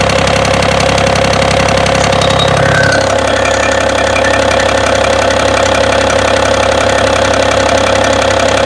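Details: BMW engine at idle: a fairly regular knock of about two or three a second tapping over the hum; source unknown.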